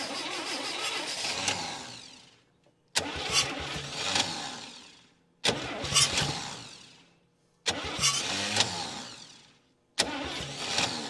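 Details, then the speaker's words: 1959 Chevy Biscayne 6-cylinder, once locked up after about 20 years stored, old starter, battery being charged: several long cranking bursts with sputters, then it catches briefly and dies. Hard starting; owner says it needs fresh fuel and a good starter. "the starter just isn't isn't helping me here at all I'll charge the battery a little bit and see if that'll help it"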